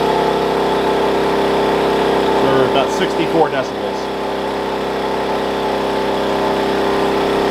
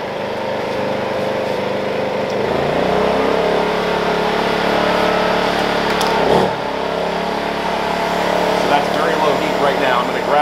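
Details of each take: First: Wen 56203i 2000 W inverter generator (made 7/2020), break-in period, eco mode on running a 1+ ton portable AC, about 930–1200 W, mic about six feet away; steady, even hum, no knocks or surging, healthy. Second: Wen 56203i inverter generator (made 7/2020, engine thought to be a 148F) loaded with a heat gun on a middle setting. The engine note climbs, sags and surges, hunting badly; at maximum heat it runs fine. Owner suspects the heat gun's pulsing element confuses the generator electronics.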